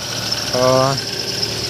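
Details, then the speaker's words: Car at idle, under the hood, before the fix: a thin high squeal over a quiet idle with a brief louder chirp; the owner first suspected the power steering pump, but it was the belt slipping, silenced by spraying multipurpose grease on it. "Итак, в один прекрасный день у меня засвистело под капотом."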